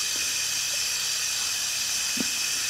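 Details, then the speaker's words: Mitsubishi Lancer with loss of power, fuel pump powered directly in water: steady high hiss with no rhythm while powered; pump assembly leaking, causing lost fuel pressure. "right in there you can see the water just pushing it out okay so we're gonna have to address that and see what's going on that's why we are losing fuel pressure"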